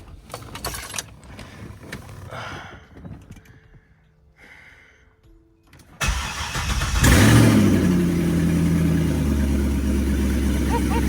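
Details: C6 Corvette with a newer LS2 V8 swapped in, first start after fitting a converter box so the ECU could read a sensor, no coolant yet: brief shuffling, then it catches and settles into a deep, steady, even idle; good oil pressure, healthy start.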